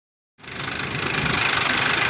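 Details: 2001 Ford Explorer Sport 4.0 SOHC with low compression on all three right-bank cylinders: after startup, a rapid, even, loud metallic rattle at idle; owner suspects the rear right-bank timing chain or cam sprocket, not confirmed.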